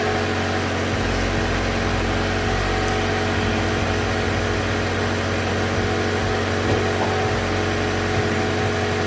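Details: 2015 Mazda 3 GT Skyactiv engine started just after replacing spark plugs with OEM NGK: smooth, steady idle hum with even low drone, no ticks, misses or surging; healthy.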